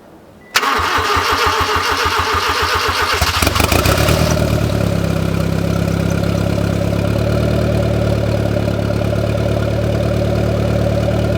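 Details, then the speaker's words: Honda EK Civic, first start after a turbo kit install (owner worried about a fuel rail leak, head torque and distributor timing): cranks about three seconds, then a steady, even idle with no misses or knocks; smoke seen, owner suspects spilled oil. "guess everything seems to be running I did see some smoke here before but I did spill a lot of oil on the car so I'm guessing it's just from that"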